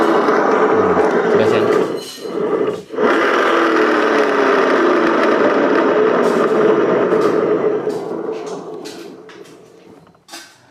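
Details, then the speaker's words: Yamaha Mio J scooter CVT, pulley spun by hand: rough gravelly growl with pitch sinking as it coasts down; worn driven-pulley bearings. "AGM channel kedapatan motor Mio J ya kondisinya yaitu ngorok di bagian CVT"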